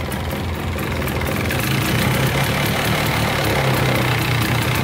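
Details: Polaris 400L 4x4 plow ATV, 400cc liquid-cooled two-stroke, just started on choke: uneven, crackly busy idle, no heavy knock; runs pretty good but smokes heavily, and a rattle apparently comes from the exhaust with a broken mount.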